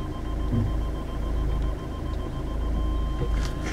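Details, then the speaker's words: 2012 Ford Mondeo Estate, newly installed X Vision rear parking sensors, engine running while reversing: fast pips merge into one steady high tone at closest range; working as it should. "That's our solid, so let's go and see how close we are."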